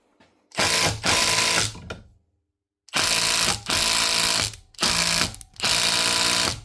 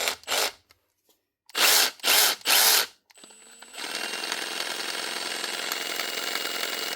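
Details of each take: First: Milwaukee M18 FID2 impact driver (2021), previously clicky and noisy, after strip, cleaning out grit and a speck on the gear teeth, and re-greasing, retested in a vise: several bursts of crisp, even hammering, no grinding; normal impact operation. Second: 2021 Milwaukee M18 FID2 impact driver, reported clicky; running unloaded, its high whirr carries a fast uneven ticking rattle from a tiny speck of grit on the gear teeth, fixed by stripping and cleaning.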